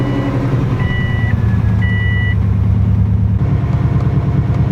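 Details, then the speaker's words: 2003 Subaru WRX wagon after replacing all four coil packs to cure misfires on all cylinders, no codes found: low, steady idle with even firing, no stumble, a couple of chime beeps over it. Normal idle. "no codes are found guys there we go all coil packs are in and they are working"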